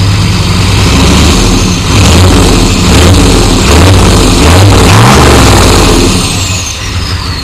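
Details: 1993 Chevy dually 6.5L turbo diesel 4x4, smoky startup without block heater, revved: rough, rapid knocking that quickens with engine speed runs through the revs; an engine knock of undetermined cause.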